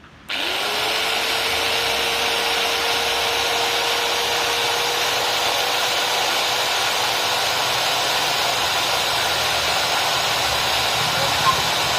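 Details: DeWalt angle grinder after bearing replacement: motor winds up quickly to a steady, even high whine and holds it without grinding or rattle.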